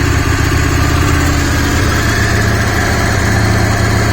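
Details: DragStar motorcycle just revived after sitting, fuel pump working and fuel running through to clear cobwebs: loud, steady putter at idle, about four beats a second, even with no misses or stumbles; normal idle.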